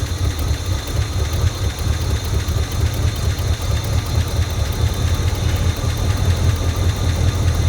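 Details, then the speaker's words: 1978/79 Chevy K20 4WD V8, sat about 15 years, first start on fuel poured into the carburetor bowl with a jumper wire to the distributor. A deep, even V8 rumble at steady idle with no knocks or ticks. Normal idle. "It runs. As long as there's fuel in the bowl. But it is running. Didn't sound like it had any crazy knocks or anything."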